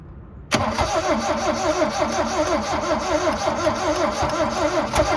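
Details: 1972 Toyota Celica, factory 18RC engine, sat in junkyard over 20 years, previously cranked too slowly; new starter just fitted, carb cleaner sprayed: brisk, even rhythmic churn near three compression strokes a second. Normal cranking.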